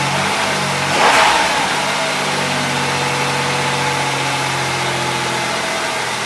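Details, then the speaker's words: 2005 Chrysler Town and Country after throttle body cleaning: engine starts right away with a short rev flare, then settles into a smooth, steady idle with no misses or knocks. Normal start and idle. "So this time it started right away,"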